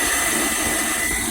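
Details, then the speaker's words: Whale underslung heater fan unit from a Bailey Pegasus caravan (model SI4312(B)), blocked-vent fault, after stripping and cleaning the motor, bench-run on power: strong steady whoosh with a constant high whine, no rubbing or rattle; blower running cleanly. "I'm going to give it a bit of power just to see what it's like. And believe you me, it is blown a hulie."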